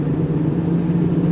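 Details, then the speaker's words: Subaru Impreza wagon under 100K miles, driving: steady low drone under road noise, no knocking; loud bad rear right wheel bearing. "Oh yeah. That back right's bad. That fucking thing's loud as hell."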